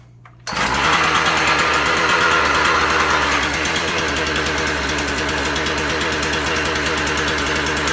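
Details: Husqvarna 36 chainsaw repaired from non-running, fired up for warm-up: a steady, even high-pitched run with a regular exhaust beat and no misses. Normal running.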